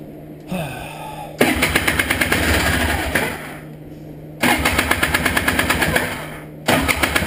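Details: Honda Odyssey FL350 after cleaning the carburetor's clogged main and slow jets: it fires straight away each time into a quick, even putter lasting a couple of seconds; it starts cleanly with fuel delivery now good.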